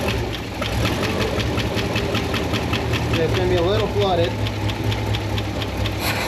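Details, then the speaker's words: 1972 International 1110 pickup V8 with a two-barrel carb, running after the accelerator pump was fixed and now giving a full pump shot. Steady, even idle with a faint whistle and no lean popping. Much better; a very small off-idle stumble remains on acceleration. "oh yeah that's much better it's got a very small stumble off idle on acceleration but it's not lean like it was"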